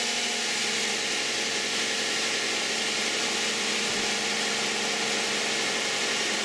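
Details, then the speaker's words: 2010 Toyota Camry, 2GR-FE 3.5 V6, 152,000 miles, Mobil 1 5W-30, cold start: smooth, even idle hum behind heavy hiss with no knocks or ticks; healthy engine, though the owner notes power and fuel economy are slightly down. "This is going to be the cold start of a 2010 Toyota Camry V6 3.5 with 152,000 miles, and let's see how it sounds."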